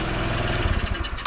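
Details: Rusty small single-cylinder motorcycle that would not start despite fuel, compression and battery, fixed by restoring the missing supply to its DC-operated CDI: even low putter with steady firing pulses and no misses, idling cleanly.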